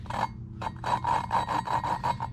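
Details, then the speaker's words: Suzuki DRZ400 cylinder head valve being lapped by hand with compound: loud gritty rasping strokes about four a second, as the seat has not yet mated and should quiet as it smooths. "what you do is you can actually hear it grinding it's loud right now but you want to get to the point where you can't actually hear it"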